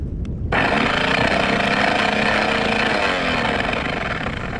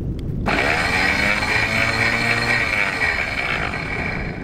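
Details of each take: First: Boat's electric anchor windlass running up with harsh, heavy grinding, labouring with no load; solenoids get about 12.4 V, so fault appears to be at the motor; windlass needed full teardown and servicing. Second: Electric anchor windlass running with no load in the down direction, steady even motor whir and gear hum, normal sound; solenoids tested fine at about 12.4 V, while the up direction grinds and struggles.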